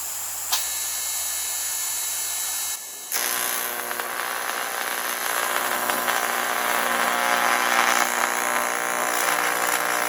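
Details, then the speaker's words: 1993 TIG/stick welder after HV impulse transformer replacement, retest: sharp start crack then steady, even hiss and buzz; arc holds stable and melts well, transformer reading about 62–63. "We're going to try to start an arc and hold it and just see how far we can go with that."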